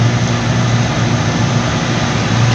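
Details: Air compressor restarting after pressure drops: steady, even low motor and pump drone with no slapping or squeal, running smoothly. The noise was traced to the belt no longer gripping the motor, after gasket, oil and motor checks.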